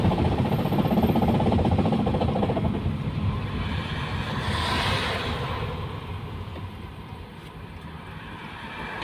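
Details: Diesel car towed in after a noise while driving, then stalling and refusing to crank: heavy, regular knocking about four times a second over a rough run, fading as it dies. The broken cylinder 4 glow plug tip fell in and damaged the piston.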